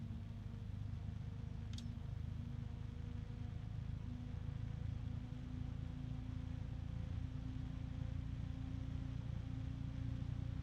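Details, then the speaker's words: DarkRock F140 PWM ARGB Infinity 140 mm PC fan at maximum speed: a steady airy rush with a low hum and a few thin, even tones on top; the high tone does not go away at full speed. "The high one has not gone away. So that is what it sounds like on maximum."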